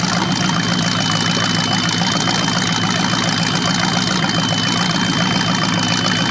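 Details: Chevy 350 (3970014 block) from a 1970 Camaro on its first run on an engine run stand: even, steady V8 idle with a smooth rumble and no knocks or misses; running well, though a squeak was heard that was thought to be from the carburetor.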